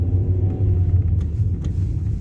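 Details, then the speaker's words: Hyundai Elantra HD driving on rough road after replacing stabilizer bushings and installing repaired shock absorbers: only an even low road rumble, no knocks or clunks; suspension now quiet. "То есть тишина в машине. Наконец-то я услышал."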